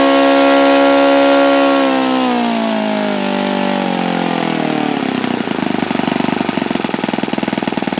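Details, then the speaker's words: OS FS-alpha 110 model four-stroke glow engine, worn, just rebuilt with a new connecting rod and crank bearings: a high buzzing note sags steadily into a rougher, lower beat, never nearing the review's rated rpm, with compression seeming stronger when hot. "because this engine just absolutely positively cannot come close to the rpm figures in that review article"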